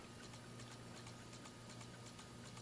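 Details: 2004 Dell Latitude D505 with failing 2.5-inch IDE hard drive, booting from CD before imaging: quiet hum with sharp regular ticks about three per second; drive clicking, cause unknown.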